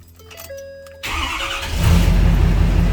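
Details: 2014 Ford F-350 6.7 Powerstroke diesel after repairing a damaged wire that had cut PCM communication: a few seconds of cranking, then it catches and settles into a steady, even low rumble. It starts cleanly.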